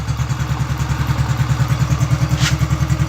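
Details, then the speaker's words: Rebuilt Honda Biz C100 single with a new exhaust and the ignition cover not yet fitted: an even idle beat at about 200 a minute, faint flywheel magnet noise, gearbox quiet, much quieter than the old noisy exhaust, normal running. "escuchan el ruido ahí nada que ver a como estaba el escape ruidoso como pensab"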